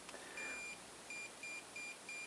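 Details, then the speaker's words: Xiaomi M365/Ninebot-type scooter controller with the Hall-effect brake lever sensor deliberately disconnected: one long beep then five short beeps, error code 15. Brake sensor fault. "donc j'ai un grand trait et 5,5 petit bip on sait bien que c'est le code 15 cocktail à cop15 or 15 égale problème sur le capteur de froid capteur de froid"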